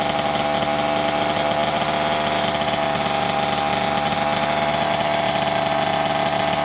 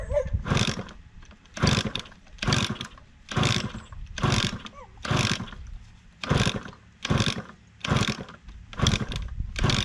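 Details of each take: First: 1988 Kawasaki KX 80 two-stroke after its piston was replaced, first start in 15 years after it had flooded: crisp, raspy, steady high buzzy drone, running cleanly and healthy. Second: 1988 Kawasaki KX80 two-stroke, first start attempt in 15 years after a new piston and refitted cylinder head: repeated kick-over bursts about once a second, coughs and roars briefly but never catches; the engine is flooded.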